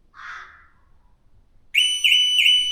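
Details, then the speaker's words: New Audi Q6 e-tron, waiting while remote climate start via the app still shows as switching on: after a quiet pause a loud warbling siren starts abruptly with repeating rising sweeps; false alarm activation, the only thing that came on. "Natomiast jedyne co się włączyło to w tym momencie alarm samochodu."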